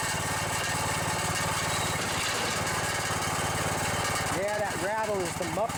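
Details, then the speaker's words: 17.5 hp single-cylinder riding mower engine, a type known for blown head gaskets and failing cams. Steady idle with a light metallic rattle from a loose muffler; otherwise it sounds good. "muffler well other than that muffler rattling sounds pretty good i'll try and fix that another way without my shoe"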